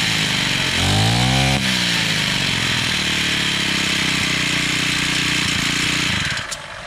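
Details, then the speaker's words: Honda GX35 four-stroke brush cutter after carburetor replacement and low/high screw adjustment: engine picks up to a high buzz and holds steady and clean, no misfire or hunting; runs properly. "máquina Cê tá trabalhando perfeitamente ela não da valeta partida de novo"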